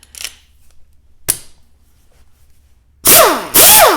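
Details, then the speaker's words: Old Allen Air pneumatic sander after fixing an internal leak and no torque with 4 new O-rings, first free run: two strong hissing, high whirring bursts rising and winding down cleanly; normal after repair. "that sounds a lot stronger already"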